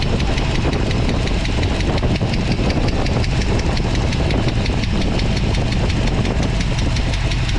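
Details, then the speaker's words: 1979 Jeep Wagoneer AMC 360 V8, Edelbrock intake and Holley Brawler carb, after a cold start idles with a fast, light, steady lifter tick caused by faulty bridge-style rocker arms, before the rocker swap. "So, you can hear the lifter tapping."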